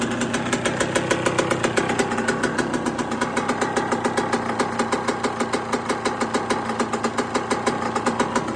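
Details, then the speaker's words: 1999/2002 Yamaha YZ125 bored to 144 after full restoration, first start, not yet hot, kick-started first kick: crisp, even two-stroke crackle with steady pulses, no misses. Normal two-stroke running. "she's so loud under here oh the kids are shouting at me yes me she sounds naughty though and she ain't even hot got on a proper first kick this time"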